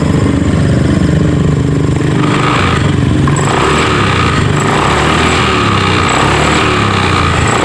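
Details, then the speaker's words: Honda Beat scooter, previously no start by electric starter or kick, after fixing weak battery and faulty brake switch: starts immediately on the button, steady even idle with smooth exhaust note and no misses or knocks. "Ya, motor langsung hidup. Tuh. Saya matikan dulu. Saya ulangi. Sekarang akan saya tekan tombolnya. Tuh, motor hidup."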